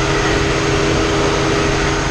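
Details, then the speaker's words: Ford Transit 3500 van after the cooling fan assembly was replaced; before, the high-speed fan ran like low speed and the low-speed fan did not run. Now both radiator fans run full blast with a strong even roar: normal cooling fan operation. "now we got both bands running full blast like they're supposed to all right so now both fans are working"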